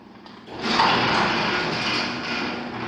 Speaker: That's how loud it is. I'm not going to call that.